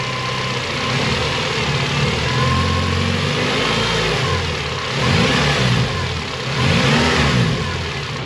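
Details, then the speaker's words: Honda Civic race car, engine idling and revving with a steady front-end whine rising with revs, easing as it warms up; power steering pump whining. "right it's getting better as it warms up but um again my polystyrene pump is winding which could be a motivator to get them"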